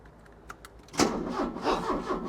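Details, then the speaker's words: Porsche 944 classic, unused five years after engine issues: a few clicks, then starter spins the engine with a steady chugging rhythm but it never fires; fuel reaches the rail; crank-no-start traced to a failed crankshaft position sensor. "oh my life the starter's working but it's not firing but I'm going to check with Sparks and the fuel to see if it's getting both of them"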